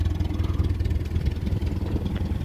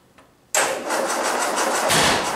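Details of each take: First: 1961 Land Rover parked since 2003, first start after a full rebuild (rebored plus 40, crank ground, lead-free head), cold with choke: an even, steady low putter with no knocks, misses or ticks; it runs well. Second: 1961 Land Rover, first start after full rebuild (rebored +40, crank ground, new Weber carb), not run for 18 years, ignition not yet timed: engine catches after a pause and runs raggedly; rough start with timing unset.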